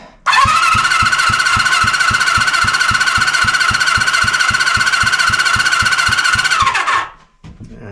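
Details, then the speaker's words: 1974 Honda CB350F four-cylinder under rebuild, compression test while cranking: even starter whine with about four evenly spaced compression pulses a second; this cylinder reads about 100, slow to build, healthy. "That one's about 100. Took a while to get there."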